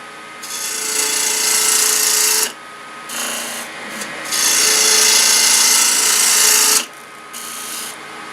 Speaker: i'm gonna still hear the chatter so it's not quite round